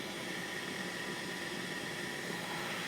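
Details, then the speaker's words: Mercedes M273 V8 secondary air injection pump at a 100,000-mile inspection, outlet hose removed to check for strong steady flow: steady, even electric whir with no grinding or bearing noise. Normal operation, pump passes. "look at that nice output this pump sounds fine if you hear grinding and bearing noise I recommend you change it before it fails but for this pump here it gets a pass"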